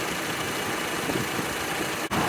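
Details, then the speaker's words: 2006 Honda Civic at idle after swapping the A/C relay for intermittent A/C: the clutch clicks and engages, then a steady hiss and hum with no grinding or squeal. The relay and compressor are working normally. "now it's not rotating and now it's engaged see that means the relay is good that's where the click sound is from"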